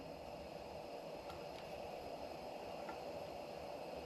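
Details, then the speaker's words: Milspec pressure lantern, pumped and fuel valve set: steady, even air hiss with no gurgle of fuel pickup, and it won't light properly. "I hear it hissing but I don't hear any gurgle like it's picking up fuel yet"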